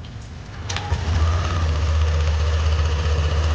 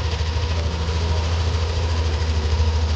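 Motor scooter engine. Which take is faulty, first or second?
first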